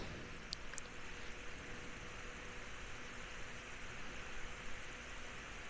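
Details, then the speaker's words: Household remote-control bedroom fan after cleaning blades, repairing a cracked blade with UV resin and re-oiling bearings, on setting 2 (~61 W): soft steady airflow hiss, faint hum, no rattle or scraping; still shakes but sounds quieter; normal running. "And it still shakes. But I do think that it sounds quieter."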